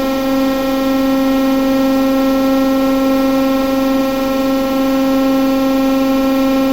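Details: TEP70 0237 V16 locomotive diesel after repair, running once the oil-empty governor filled and it took fuel: steady deep drone around 250 Hz, even tone, no knocks or misses; normal running.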